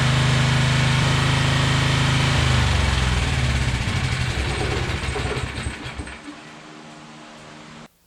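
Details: Generac 7000EXL generator unused 10+ years, restarted after fresh fuel, air filter and oil checks: steady, even drone with no misses or knocks for a few seconds, then winds down and stops; runs fine.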